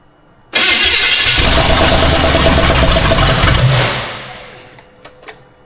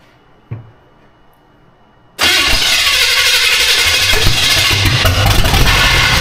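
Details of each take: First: Austin's Buick, first runs: catches abruptly, runs rough about three seconds, then sags and dies; unsure if it wants choke, owner then suspects it needs more fuel. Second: Austin's Buick V8 first fire-up after swapping in a distributor: starter catches and settles into a fairly steady, slightly lumpy idle; runs pretty well, timing may still need adjusting.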